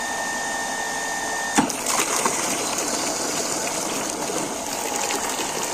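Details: Water pump after a fix to increase weak suction and output, pressure around 2.5 bar: even steady hum with strong water rush, no surging or rattling; running normally with good flow.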